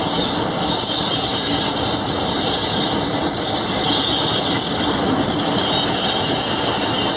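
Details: Class 47 diesel locomotive 47077 braking just outside Levisham station, North Yorkshire Moors Railway: loud steady high squeal over wheel rumble; normal brake and bogie squeal.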